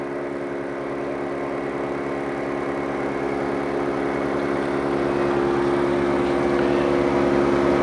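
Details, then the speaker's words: New Harvest Right freeze dryer initial test, chamber at 34 below, vacuum pump toggled on, compressors engaged; steady even hum with quick regular pulse, gauge already dropping toward 500 mTorr target; pump running normally. "And you can see already it's starting to pull a vacuum on there, down to 29, 27, 26."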